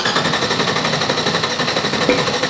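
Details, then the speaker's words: G-body drag car with salvaged 6.0L LS V8, RHS LS3 heads, aggressive cam, FAST 103mm intake and 102mm throttle body, 150cc injectors, 3-inch headers, 2.5-inch exhaust with two mufflers, first start: loud, hard, uneven lope, normal choppy cam idle. "We got her running! First start is a success, you guys."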